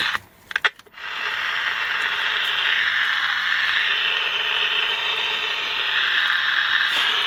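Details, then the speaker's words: General Electric P-815A Deluxe 7-transistor radio during repair, after parts replacement: a few handling clicks, then a constant, slightly drifting hiss with no program audio; output is more than before but there is still no tuning. Cause not confirmed. "had more than we did. We still don't have any tuning, but"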